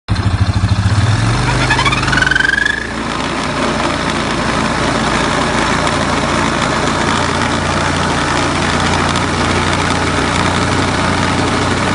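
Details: Crackling noise from the CVT of a CF625 (X6) with the cover on, new rollers just fitted: after spin-up (initial chirp is belt rubbing the casting), steady run shows an uneven crackle from the belt drive; cause unclear.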